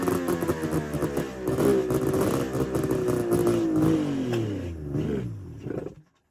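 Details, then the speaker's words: 1999 Arctic Cat ZRT 600 triple two-stroke snowmobile, revived after sitting over 20 years, temporary electrical setup, airbox off: bark climbs and falls through blips, holds an even rattly note, then cuts off cleanly; normal running after revival. "Well guys, I've got her to run now and she'll start on her own."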